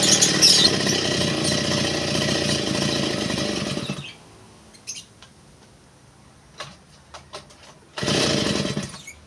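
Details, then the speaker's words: TD40 two-stroke grass cutter, over 10 years old, after new crankshaft bearings, oil seal and clutch drum (it was noisy with crank play): high buzzy rev for about four seconds, drops to idle, blips again, runs even with no crank knock. Runs normally. "tapos eh mate-test na natin kung sana na siya ngayon at sana maganda yung kanyang putol hindi na siya maingay"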